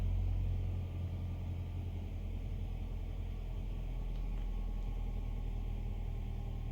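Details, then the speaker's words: 2015 Nissan Altima 2.5 after replacing stuck exhaust valve timing solenoid (P0014, P0300): low, even idle, steady with no stumble, shake, misfire or roughness, even in Drive. "in a steady so you're going to put it in Drive it's not shaking no more no misfire no idle is not rough no more"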